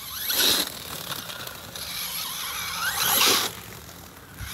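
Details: Axial Ryft RC crawler on 4S after diffs were serviced, pulling away: rising motor whine with a raspy, zipper-like ratchet over it; drivetrain ratcheting noise.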